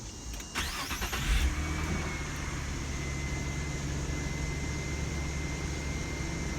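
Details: Nissan Maxima just after drive belt replacement, started to check for the earlier squeal; starter cranks briefly, engine catches and settles into a steady, even idle with no belt squeal — belt drive sounds healthy, normal start and idle.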